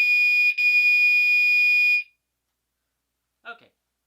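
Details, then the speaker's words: Fire alarm horn on 2400 Hz tone with California code during a system test: a steady piercing high tone sounds about two seconds with a slight shift, then cuts out cleanly; horn signalling normally. "let's go ahead and give California codon 24 hundred Hertz another try see yeah it's got an interesting little shift"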